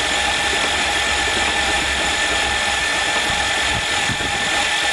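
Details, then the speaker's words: Hydrolocked van engine after being driven into a lake, spark plugs out, water spraying from cylinders: starter spins the engine fast and evenly with no compression pulses, steady whirring churn; starter healthy. "holy sure has lots of water bleow it already water's still flying I can see the drops well that's what the engine sounds like with no"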